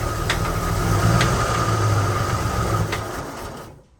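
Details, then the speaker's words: AMC Concord parked 26 years since 1997 over carburetor issues, first start: uneven, lumpy running with rough tapping about four a second, then dies; no oil pressure shown, knock suspected top end. "It's got a pretty unique sound going on. Not a good one. Not a good one at all. But it's got some kind of knock."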